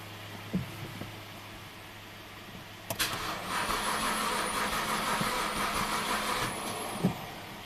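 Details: 2009 BMW 328i crank no-start after dealer warranty valve cover gasket job; starter spins engine at steady even rhythm about three seconds but never fires, with replacement fuel pump control module fitted.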